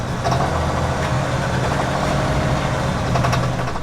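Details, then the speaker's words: 2019 RAM 3500 Limited Mega Cab High Output Cummins diesel at idle on pickup after 600 miles on contaminated fuel: heavy uneven, labouring clatter with wavering beat and audible hydraulic lash adjusters; rough idle from bad diesel, now runs clean. "But here's a clip of what it sounded like when I picked it up. Struggling."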